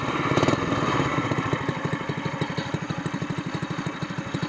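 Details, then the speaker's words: Honda GX200 mud motor idling with the Robertson's short torque-tube pipe and screw-in muffler in place of the broken SPS exhaust: steady, even single-cylinder putter with a soft, muffled note and no rasp, quieter, like a four-wheeler. "That's not bad. I think I like this better. It's cheaper and it's not as loud, so it sounds like a four-wheeler now."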